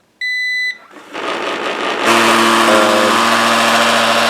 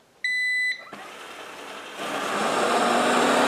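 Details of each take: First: Eufy RoboVac 11S robot vacuum, a Roomba-style clone, underside noise: after the start-up beeps it runs quietly, then breaks into a loud, harsh, steady grinding roar. A foreign object lodged underneath was found; removing it seemed to stop the noise. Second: Roomba-clone robot vacuum after disassembly and removal of an item causing noise and resistance: a start-up beep, then an even motor and brush whir that holds steady. Normal running after the repair.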